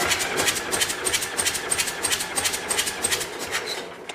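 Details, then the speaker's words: John Deere 401C diesel with shut-off solenoid wire cut so no fuel, in neutral, cranked ten times for a compression check: even quick cranking about three strokes a second with steady hiss; cylinders read about 330–340 psi, healthy. "but we're still in neutral we're going to crank it 10 times and see where we're at here"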